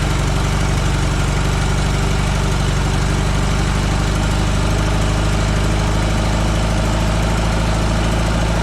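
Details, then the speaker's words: 1976 VW Westfalia bus, 2.0-litre Type 4 air-cooled flat-four with new dual Weber 40 IDF carbs (no chokes) on cold start: deep, steady, lumpy idle with no misses or knocks; accelerator pumps still need tweaking. "idf's do not have chokes so we're gonna fire it up and I still need to tweak the accelerator pumps a little bit"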